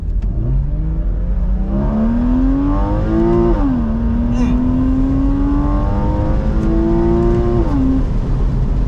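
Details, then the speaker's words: Porsche Boxster 981, after an RR Racing billet deep-sump oil pan replaced the damaged pan, full-throttle pull with top down: pitch climbs smoothly, brief dip at a missed shift, no knocks or rattles; healthy, though owner says it needs an exhaust. "Missed my shift. Sounds even better with the top down. Definitely probably needs an exhaust, but not terrible, not the worst thing."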